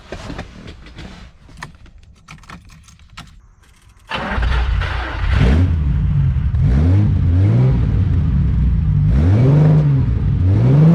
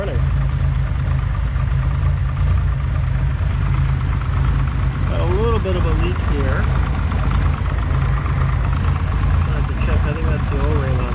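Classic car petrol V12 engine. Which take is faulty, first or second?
first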